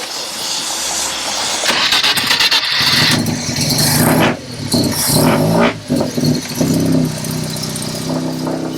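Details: 1971 Mazda 1200 four-door wagon with a rotary engine, from New York: the pedal is pumped a couple of times, then a quick crank catches into a buzzy, slightly uneven idle with light throttle blips; normal start and idle.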